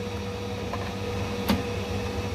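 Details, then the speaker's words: Ideal Independent C24 combi boiler after F1 low-pressure fault, refilled with water, heating on: steady pump hum, soft clunk as the diverter valve opens, faint hiss as trapped air purges around the system; normal. "you can hear the diverter valve open and hear that air get removed from the biology so it's been going around the system"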